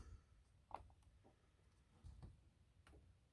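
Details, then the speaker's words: Norcold 1200 LRIM four-door RV absorption fridge with a no-AC fault, switched to propane mode. Faint sharp ticks spaced about a second apart in a quiet room as the igniter sparks and the propane lights normally. "and listen the propane is kicking in okay so it's on"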